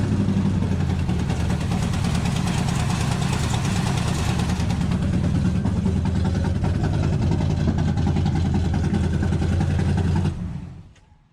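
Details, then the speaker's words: 1968 Dodge Hemi Charger V8 idling: uneven, lumpy beat, not running on all 8 cylinders; popping, possibly running lean, with a large vacuum leak suspected. "Ain't running all 8."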